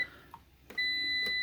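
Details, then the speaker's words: APC BN450M 450VA UPS on a depleted battery powering a tower heater load near 250 watts: short chirp then a steady high beep about three quarters of a second; overload warning, struggling to supply the load. "now that's the sound of trying to do something it don't want to do"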